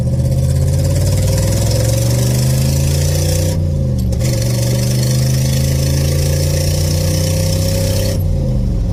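Engine idles, then the revs rise, with a raspy, puffing exhaust note that follows the throttle: a classic exhaust leak.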